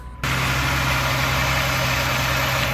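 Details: Engine started after serpentine belt and water pump installed and antifreeze added, following a dead battery: catches at once and settles into a steady, even idle hum without knocks or squeal; normal idle.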